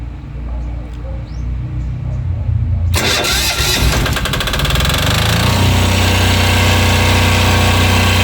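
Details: Daiden 7 kVA super silent diesel generator for a whole house, started with AC switch off for about 2 minutes per instructions: quiet, then fires and settles into a steady even diesel chug with no knocks; running normally.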